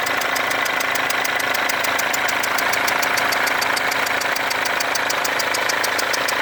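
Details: Mercedes W204 diesel with a leaking injector, which shows burnt-on diesel residue around it. At idle there is hard, fast ticking at about four per second with a thin hiss (strong clattering and whistling) in the injector area.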